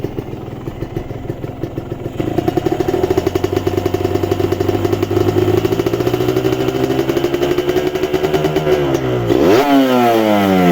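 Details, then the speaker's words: Kawasaki Ninja two-stroke motorcycle, revved from idle and throttle dropped off to check piston wear; crisp rev rising and falling cleanly with no rattle or slap on deceleration, smoothest of the bikes compared: normal two-stroke revving. "seperti itu ya teriakan tidak ada ya ini memang yang terhalus di Ninja 2tak ini"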